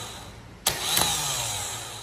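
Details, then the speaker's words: Chevrolet Vectra starter tested with positive lead applied: two sharp clicks a split second apart as it kicks in twice, then a fading whir; poor contact suspected from a loose terminal screw in the starter. "Teve uma hora que eu que eu coloquei aqui o positivo ele meio que deu duas ativadas isso aí pode ser um mau contato tá ó de novo vi de novo certo ele funcionar dessa forma aí ó"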